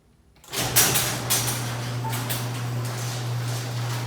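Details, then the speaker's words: Old garage door opener lowering the door, before replacement with a Ryobi 2HP opener: steady low motor hum with loose rattling and clanking as the door travels; noisy rattling opener. "I guess we'll start by putting in the door down you can hear how noisy it is here"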